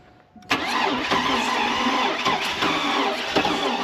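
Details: Oldsmobile Bravada crank-no-start, long sitting, fuel pressure 55-60 psi cranking: starter spins fast and perfectly even, about three and a half beats a second with no compression drag; engine has no compression.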